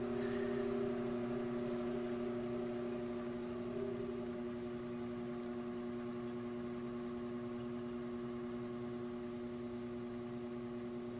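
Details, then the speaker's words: Powerful fan on BN-LINK plug-in variable fan speed controller at lowest setting (50% range recommended), blades turning much slower; steady quiet hum with clear tones and light even whir, easing down early, running smoothly. "that's all the way at the lowest there where again you really want to keep it more in the 50% range but hopefully you can see the blades whirling around in there a lot slower than it was before"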